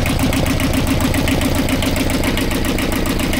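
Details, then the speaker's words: Universal 5411 diesel engine at idle during a mechanic's walkthrough (decompression lever, an extra fuel pump fitted ahead of the engine pump): even clatter at about seven soft beats a second with no extra knocks. Engine sounds okay; normal idle. "The engine sounds okay."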